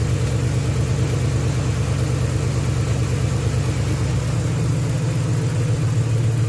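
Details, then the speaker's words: 2010 Ford Crown Victoria 4.6L 2-valve V8 with junkyard M90 supercharger, 5-speed manual, after new belt tensioner assembly and idler pulley: even idle and clean revs, smooth low drone, no whistle or chirp; belt drive quiet and healthy. "nice and quiet no more noise"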